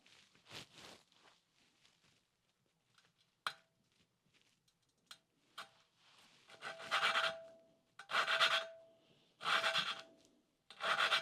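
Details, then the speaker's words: 1988 Suzuki GSX-R1100 valve lapping, separate mic: harsh rasping grind in regular strokes as the oiled valve is turned on its seat, not yet mated; should smooth out and go quiet. "the idea with this is the you'll hear a grinding sound that should smooth out and go very quiet that's what we're looking for"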